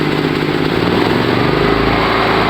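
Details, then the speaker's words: Gas-fueled electric generator running on gas, mixture valve regulated to the minimum gas that keeps needed RPM; steady, even drone with no hunting or stumbling, mixture set at the right point between starving and flooding. Normal steady running. "estaría en el punto ideal. Como ya les dije, tenemos que encontrar el punto que funcione bien, consumiendo"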